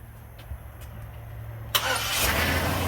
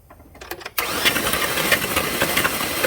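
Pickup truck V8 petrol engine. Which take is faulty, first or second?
second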